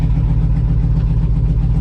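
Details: 2002 2500HD parts truck, 622,763 miles, on gas of unknown age, in park just after first start; over 40 psi oil pressure, no check engine light, alternator charging; deep even V8 idle, no knocks or ticks; healthy.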